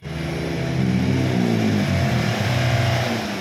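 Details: Nissan Micra diesel after turbo replacement and EGR cleaning for white smoke: revs up smoothly from idle and holds a steady, even drone with no knocking, whistle or misfire; some black smoke remains until run in.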